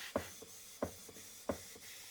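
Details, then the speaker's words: Model of a 19th-century Mary beam steam engine running on compressed air after years unused, oiled but not yet cleaned, timing untouched: crisp, evenly spaced exhaust chuffs about every two-thirds of a second, like a steam train; normal exhaust beat, no air leak. "That's the exhaust. Hear that? It's like a like a steam train. Actually sounds better when you can hear it."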